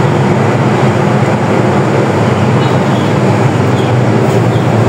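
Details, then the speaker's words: Honda Dash small single-cylinder motorcycle, bought after being submerged in a flood, starts in two kicks after an ignition switch replacement and idles with a steady, even rumble, quieter, with no knocks or rattles; normal idle. "Dalawang padjak lang, andar agad. Mas tahimik na makina mga riders."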